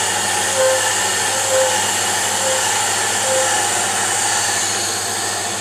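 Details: Diamond grinding wheel being dressed on a D-bit/single-lip cutter grinder with kerosene: steady unbroken cutting hiss with no intermittent pulsing, as the wheel is now running true and grinding evenly.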